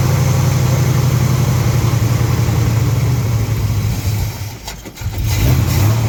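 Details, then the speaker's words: Big-block Ford V8 with 750 CFM Brawler carburetor, just cold-started after sitting outside in freezing weather, intake runners about 20–23°F: loud deep idle wavers and sags before catching, as fuel condenses on the cold intake and it runs poorly until warm. "So, it is doing what carburetors do, which is cooling off the intake charge as the air and fuel mix. That's also what makes it run crappy when it's cold outside, so it gets warmed up."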